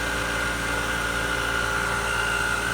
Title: Jandy Pump grinding noise